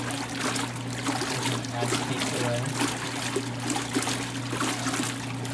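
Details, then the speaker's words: 1986 Kenmore 70 series washer being unwinterized in a garage: a low steady solenoid hum under running, trickling water as the tub fills. The inlet valve holds open normally. "There's some of that, solenoid action going on."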